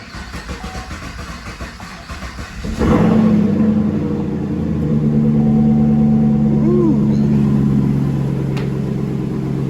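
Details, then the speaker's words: 2016 Chevrolet Caprice that had been running very rough with a StabiliTrak fault and codes P0208, P0300, U0401: after fuel rail and injectors were reinstalled, it starts cleanly into a smooth, even idle; scan afterwards shows no faults. "Sounds smooth. It was running rough as heck when I shut it off."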